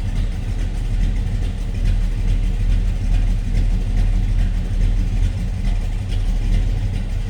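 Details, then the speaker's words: 1957 Chevrolet Bel Air 2-door hardtop with 350 cubic inch 350 hp V8 at idle: deep low idle with gentle uneven lope about once a second, otherwise smooth; seems a mild cam, healthy engine. "Sounds like we might have a mild cam in there. A little light. the lobe to that 350 horse, 350 cubic inch V8."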